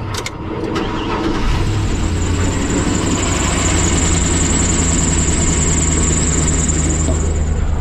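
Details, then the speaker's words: Isuzu NPR diesel truck, long idling with infrequent oil changes, customer says engine noisy: starts after short crank and idles with light rattling clatter from the top end plus belt chirp; valve train rattle. "heard belts and i hear some rattling valve train"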